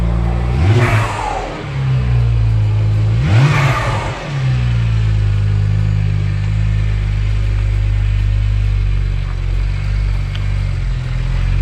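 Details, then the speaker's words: BMW 1M E82, test drive heard from inside, taken to about 5,000 rpm: two hard pulls with a rising roar and a sharp whoosh on lift-off, then steady cruise; turbo engine pulling cleanly. "not sure if you guys can hear from the inside but everything that's pretty darn good"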